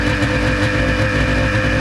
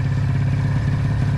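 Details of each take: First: 1996 Ski-Doo Formula SS Rotax 670 twin two-stroke after sitting 10 years, carbs cleaned and primer replaced: loud even buzz, running steadily on its own, idling around 1500-1600 rpm; bogs slightly and won't take throttle. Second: 1996 Ski-Doo Formula SS Rotax 670 two-stroke snowmobile, sat 10 years in storage: uneven burbling idle with ragged low pulse, won't throttle up; one carburetor starved of fuel by a frozen, water-filled fuel line.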